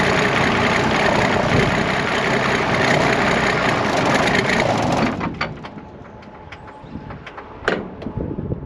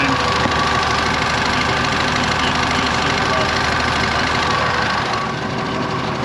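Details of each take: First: IH 915 combine, unmoved for about a dozen years: fires and runs rough about five seconds, dies, then catches again as if fuel-starved; the mechanical fuel pump has failed, an inline electric pump is needed. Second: IH 915 combine, idle for a dozen years, bought at auction: steady, even, very quiet idle with no knocks or misses while a hydraulic oil line still leaks; engine runs normally.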